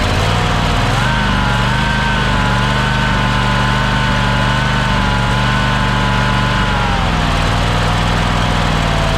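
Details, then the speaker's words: Engine that sat for years, first start after welding its broken flywheel ring gear and replacing a flywheel magnet, with gas poured into the carburetor: it catches and settles into a smooth, even idle with a slight speed dip; normal idle. "wow that sounds a lot better than i thought it would"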